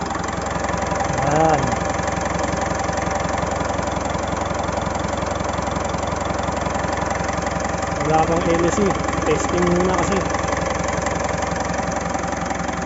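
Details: Mitsubishi Montero diesel misfiring at idle with no check engine light or fault code, fuel rail pressure reaching 50,000 kPa at idle: uneven lumpy beat about three or four a second, one cylinder dropping out.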